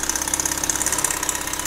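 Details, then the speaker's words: Mazda RX7 FD with rebuilt 13B rotary and big turbo: fast, light rattly ticking at idle. The original manifold gaskets were reused and are leaking, so they need replacing. "good C the clip so basically what's happened guys is that we have just reused the original gaskets for the manifold to connect towards the engine so because of that a little bit warant and we need to replace it"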